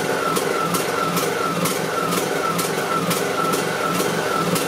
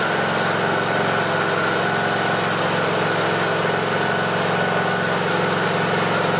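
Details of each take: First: Briggs and Stratton 18.5 hp Intek lawn mower engine surging at idle, pitch wavering up and down about twice a second; fix is cleaning the clogged pilot jet in the carburetor. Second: Briggs and Stratton 18.5 hp Intek small petrol mower engine idling at an even, steady speed with no rise and fall, after the surging was fixed by cleaning the carburettor pilot jet.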